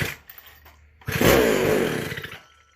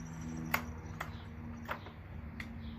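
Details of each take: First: McCulloch SP125 chainsaw, decompression in, first start: fires and revs about a second on primed fuel then dies; cause was a gap between carburetor and intake (air leak). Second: McCulloch SP125 chainsaw, just after fixing a large gap between the carb and intake: quiet ticking, then it catches and runs at a steady, lively buzz with clean revving; sounds much better and healthy.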